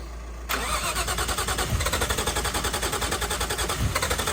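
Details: Nissan R33 Skyline, freshly built forged RB engine, first start: starter spins in steady even pulses about seven a second, never catches; no firing due to bad spark plugs.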